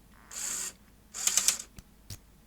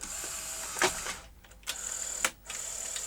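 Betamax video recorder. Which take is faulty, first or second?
first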